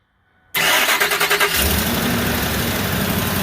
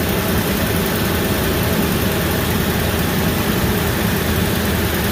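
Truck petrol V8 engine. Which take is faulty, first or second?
first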